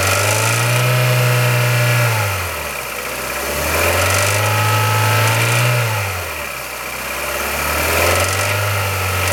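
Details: Kia Ceed 1.6L G4FC engine, cold: revs rise and fall in slow blips every few seconds with a dry rattle riding over the running noise; cold-start engine rattle.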